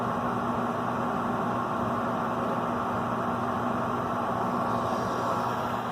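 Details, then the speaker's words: Gas furnace during pre-winter inspection, thermostat calling for heat, thermocouple proven and main gas valve open: smooth steady burner and blower roar, no puffs or rattles; clean blue flame, complete combustion, furnace working normally. "this furnace is working really good it's a beautiful blue flame which means there's no wastage of gas"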